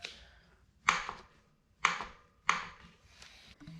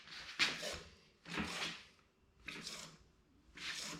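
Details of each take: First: RockShox Recon RL air fork on a 2019 Specialized Fuse ridden about a month: three sharp, dry clicks each time the fork is pushed down; clicking-popping noise on compression traced to the air cap area. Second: 2019 Specialized Fuse bike with RockShox Recon RL fork, after adding an O-ring to fix a clicking, clanking noise: soft airy squish with each stroke about once a second, no clank or knock; quiet fork compression.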